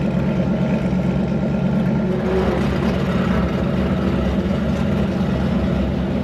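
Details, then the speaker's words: Twin turbo Hemi Dodge truck, full-throttle drag pass after tune changes, shifting early around 6,400-6,500 rpm before the shift light: hard, steady roar with no misses or stumbling, solid shifts, pulling cleanly. "that's better that's better dentle baby early shift in 64 6500 right on down through there perfect"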